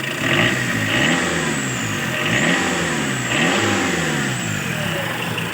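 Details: Diesel after servicing No. 4 injector flagged by scan for rough running: revs up and settles in smooth even sweeps, knock gone, though not 100% perfect as engine is worn; sounds healthy.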